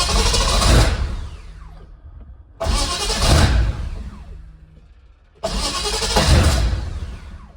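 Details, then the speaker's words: M117E55 V8-swapped Mercedes W115 240D during rewiring, coil crudely fed switched 12 V with old wiring bypassed: repeated long cranking bursts, each slowly fading, with no clean catch; engine was flooded. "I think she might be flooded. Yes, she was flooded."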